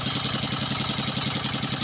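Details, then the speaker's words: S-1115 single-cylinder diesel on a rice mill with thick black smoke, high fuel use and fast-heating radiator: fast even thumping with a hard knock each firing stroke; suspected too-tight injector nozzle setting, valve clearances later found too loose. "Diesel के साथ क्या है, जहां nozzle setting बहुत लॉक है? मजबूत या बहुत मजबूत, सेटिंग भी इस तरह की आवाज पैदा कर सकती है, लेकिन बाद में हम इसे फिर से जांचने की कोशिश करेंगे।"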